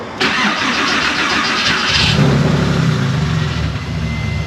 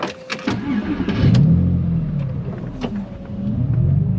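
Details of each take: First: Porsche 911 that shut off after running low on fuel, cranked after fuel system work with a faint, weak-sounding fuel pump: starter spins for a couple of seconds before it catches into a rough, uneven run, then seems back in order. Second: Porsche 911 after fuel system work following a shutdown: short crank, then fires promptly and holds a steady, even idle; clean, healthy start.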